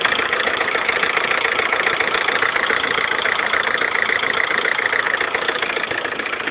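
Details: Lada Kalina 1.4 16-valve, 2011, 20,000 km: a steady idle with sharp, regular tapping about three to four times a second. The knock came on suddenly overnight, and the dealer fixed it by fitting pistons of a different size group.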